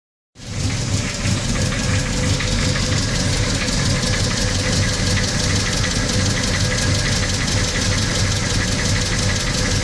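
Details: VW Gol CL 1.6 AP engine, cold: even idle with a sharp light tick about three times a second over the engine; cold-engine noise, cause unknown.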